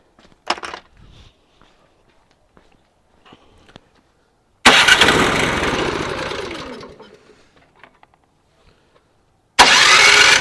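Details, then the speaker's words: Briggs and Stratton 1024 snowblower, fuel on, choke on, after carb cleaning: pull, then a short burst of running that fades out within two seconds and dies; still a carburetor fuel-starvation issue. "so it obviously shows us that it's still a carb issue um glad we actually got to hear it run though for briefly"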